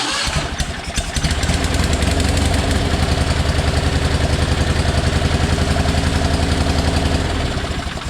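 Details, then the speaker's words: John Deere 420 twin-cylinder engine with a known-good spark plug and plug wire from a running 318 fitted, needing a little choke: a lopsided, loping thump with one beat missing each cycle, so it runs on one cylinder. Coil suspected, not yet tested. "Doesn't sound any better, so it is not the spark plug or the spark plug wire. So that tells me it's probably the coil."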